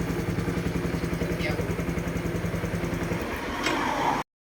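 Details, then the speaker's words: Honda Wave 110i after re-rebuild fixing hard starting and no compression following a rebore and new rings: quick even putter about 3.5 beats a second, no misses or clatter; normal idle, compression restored. "ครับเ่านี้ก็เบาได้รอบเดินปกตินะครับผมไม่มีปัญหาครับ"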